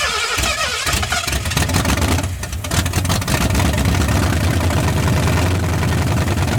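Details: 1981 Mustang 302 5.0 V8, automatic, first start after decades parked, with 14-year-old oil, no radiator, nearly 50 psi oil pressure: strong, even run, picks up cleanly, no knocks or ticks; tight, sounds like a fairly new engine.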